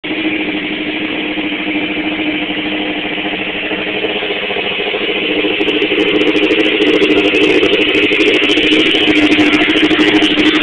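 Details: 1986 Suzuki GSX-R750 motorcycle idling with a loud busy clatter from the valve cover that got loud over a weekend, cause unknown; loud top-end noise.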